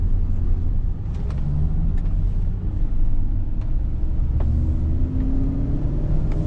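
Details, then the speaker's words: Ford Expedition 5.4 3-valve 4x4 driving from about 19 mph upward: rhythmic humming/howling from the front that changes pitch when turning, like a helicopter noise; suspected worn front wheel bearing. "now I do hear a change in Pitch when we turn a little bit that does indicate a potential wheel bearing problem and it sounds like a bearing right here it sounds like a like a helicopter noise"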